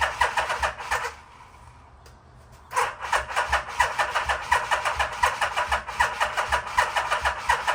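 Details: 1987 Yamaha Venture Royale 1300cc motorcycle, stored a long time, with cleaned tank, new gas and battery: the starter churns steadily, pauses, then cranks at length without catching; a hard start after storage, and it later caught fire.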